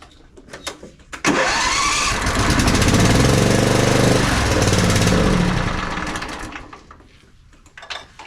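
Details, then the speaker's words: Twin-cylinder zero-turn mower engine that dies after running a few minutes, initial check: cranks, catches, then runs a steady even full-power beat for several seconds before shutting off; both cylinders firing cleanly. "we know both sides are firing we know that we have full power out of it"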